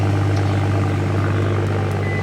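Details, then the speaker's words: BMW N55 turbo engine after exhaust rattle fix, clamps repositioned and bolts refitted: steady, even low drone at idle with no rattle or buzz from underneath; exhaust sounds normal and quiet. "hell yeah what's up it sounded like it's about normal man"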